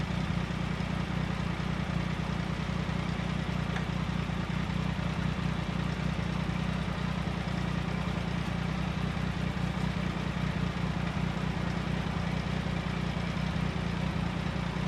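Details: 1999 Triumph Sprint ST 955 running: steady, even low idle with a smooth regular beat and no knocks or misses; the engine is running healthy.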